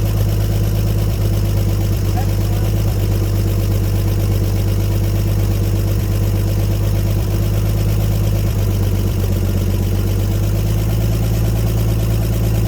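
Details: 1954 Chevrolet 150 revived after sitting, running with the ignition coil jumpered and temporary jumper-cable battery connections: deep, even rumble with no misses or stumbles; a smooth idle until it ran out of gas.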